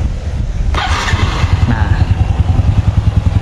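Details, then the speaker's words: Honda Revo FI single-cylinder motorcycle after engine overhaul for low compression: steady even putt-putt idle about three beats a second, no ticking or knocking; much smoother, quieter, with bassier exhaust than before, though it still needs further tuning. "sekarang mesinnya jauh lebih halus daripada sebelumnya ya Ini Bunyi pat ya untuk dari suara knalpot juga lebih ngebas dari sini juga Beh lebih senyap sekarang ini motorah"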